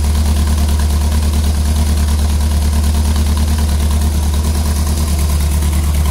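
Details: Ford Pinto at idle: low heavy idle with a steady lopsided thumping stumble about three a second; misfire at idle.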